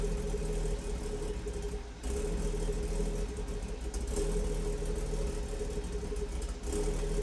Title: *HELP* Rough Idle after catless VRSF DP install B58 M240i